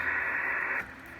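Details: Drake TR4 transceiver, late serial 81037 with built-in noise blanker, receiving on 40 meters after the band switch was cleaned with Detoxit: even, steady upper-midrange hiss with no crackle, popping or hum. Band noise sounds normal.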